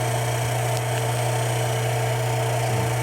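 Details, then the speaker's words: Hot tub pump with no jet water flow: steady motor hum and strong low drone but no water rush; shaft turns very easily, impeller broken. "so i can turn this very easy so impeller is broken"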